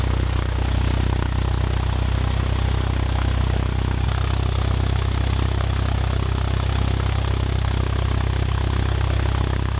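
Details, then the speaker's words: Cessna 172 engine on a cold start just after a carburettor install: cranks quickly and runs smoothly, with a steady, slow, slightly lumpy idle just below 600 rpm, where it tries to die; idle is to be raised. "he's gonna pull the idle up a little bit because it's idling at a little bit below 600 and that's the speed at which the engine tries to die"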